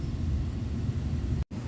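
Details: 2017 Volkswagen Passat 1.8L petrol after spark plug replacement for P0301/P0302 cylinder 1 and 2 misfire codes, codes cleared: steady, even low idle rumble with no stumble or skip.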